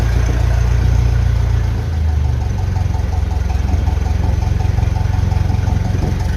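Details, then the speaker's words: Ferguson FE 35 TVO tractor engine warming up at about 750–800 rpm after a reconditioned radiator and the fan belt were fitted: a deep, steady chuffing idle near four beats a second, even, with no misses or knocks. "750 800 red seems to be a good little good speed for heating up and all that"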